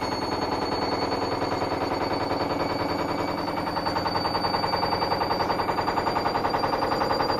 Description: Four month old Hoover washing machine, don't get fobbed-off if your machine sounds like this. There are many things that could cause knocking, but in this case it was the rubbish suspension.